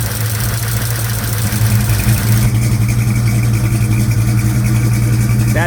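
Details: 1956 Chevy Bel Air 307 V8, first runs, valve cover off, listening with screwdriver while adjusting, 70 psi oil pressure: steady idle with loose uneven ticking clatter about three or four a second, diesel-like; valvetrain noise, owner suspects lifters/rocker.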